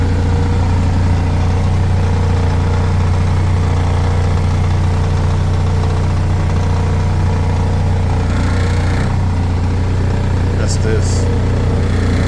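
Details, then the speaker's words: Toyota MR2 Spyder with a K20 swap at idle: heavy droning hum and buzzy vibration, blamed on the K20 oil pump. The door panels and glove box rattle at about 900 rpm; raising the idle to about 1,000–1,050 rpm helps. "the current K20 oil pump in this car it is giving me a whole lot of vibration so right here you can hear it you can feel"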